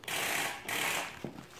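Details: Starter cranking after the battery was found dead and boosted: two harsh, gritty grinding bursts of about half a second each, then quiet, chattering without catching. Cause suspected, not confirmed; starter grinding, no start.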